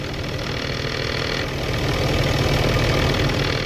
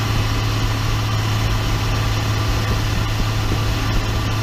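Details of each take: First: 2012 Ram 2500 6.7 diesel at 110,000 miles with a G56 manual: diesel idle with a loose, fast rattle about three per second from the gearbox, present since the dual-mass flywheel was replaced by a single-mass clutch; a common trait. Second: 2012 Ram 2500 6.7 diesel, 110,000 miles, after swapping noisy G56 manual transmission for a rebuilt one: even, smooth drone under load, no whine, grind or clunk; noticeably quieter, healthy transmission.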